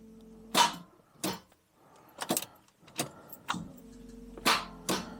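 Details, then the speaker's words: Daimler Double Six (Jaguar XJ12) V12, no start, previously not charging: six sharp single clunks with no cranking; solenoid engages and starter moves forward but engine doesn't turn, earlier starter was stuck in flywheel; cause not confirmed. "It does go forward like the starter. I think the solenoid engages but nothing else."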